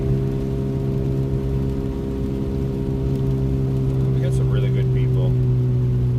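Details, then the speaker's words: Loud, steady low hum constant while driving in the rain; the driver says it is a wheel bearing, unconfirmed. "you guys hear that annoying humming sound that's just a wheel bearing that's fine it's factory it's a factory option actually"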